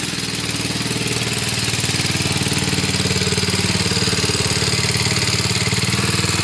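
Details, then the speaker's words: 1966 Sears Custom lawn tractor single-cylinder after carburetor and points ignition work, warped cylinder block suspected: steady even putter, constant speed, no misfires or knocks, some smoke; runs smoothly with good power. "Got good power. 50 years old, that thing."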